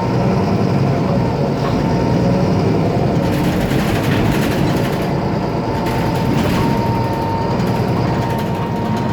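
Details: IETT Mercedes-Benz Citaro O530 city bus M2368, 2007, OM906LA Euro 3 turbo diesel, ZF Ecomat 6HP502C automatic, under way: heavy diesel roar with thin steady high whistle and loose rattling underneath; faulty turbo and noisy loose part.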